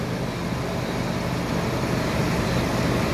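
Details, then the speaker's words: 2004 Nissan idling after new starter motor fitted (old one failed from valve cover gasket leak) and airflow sensor issue sorted: steady even rumble, no misses or knocks, little blow-by, PCV working; idles smoothly. "Otherwise, everything seems to be running fine. There's almost no gases and blown out of here, which is a good thing."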